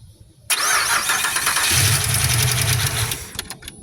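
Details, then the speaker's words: Pontiac Grand Prix after an engine swap, cranked with key on and fuel pump relay in; the starter whirs briefly, then it catches into a smooth, much quieter idle before shutoff; it still needs a VATS delete, and there are no leaks. "Oh. Well, it definitely sounds much quieter now. So that's good."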